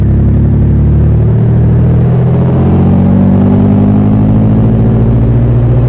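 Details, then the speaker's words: Nissan 350Z with a Comp turbo: heavy, deep engine drone with an uneven low rumble, whole car shaking; the turbo has failed and is not spinning. "all right guys so this is what the car sounds like with a balloon turbo this is going to be a car going over two carabins"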